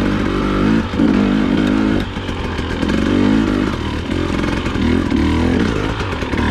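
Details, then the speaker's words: 2020/2021 KTM TPI two-stroke at low rpm, light throttle: choppy note that stumbles and surges, sputtering badly; suspected faulty crankcase pressure sensor, not confirmed. "so you can hear this is sputtering pretty badly it's pretty annoying to ride"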